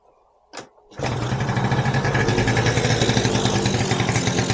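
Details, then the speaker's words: 1986 Yamaha Razz two-stroke scooter after carburetor float valve fix for fuel gushing; brief crank, catches into even buzzy idle with steady beat, smoky but no leaks, runs fine. "so yeah it runs like you know heck yeah this thing's awesome"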